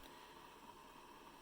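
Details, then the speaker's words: Hamilton Beach 47950 BrewStation 12-cup coffee maker after brewing finishes: faint steady hiss with thin tone near 1 kHz, constant, lasting the whole keep-warm time and stopping when a part is lifted; cause unclear. "So you would think that the coffee is brewing, but actually this is the noise that it makes after it's completely done."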